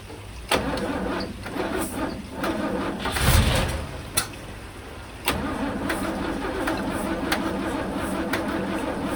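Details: 1963 Mercedes W111 with mechanical injection pump, injectors ultrasonically cleaned, cold-start not connected: several cranking bursts then long steady cranking that never catches or speeds up; cranks but won't start.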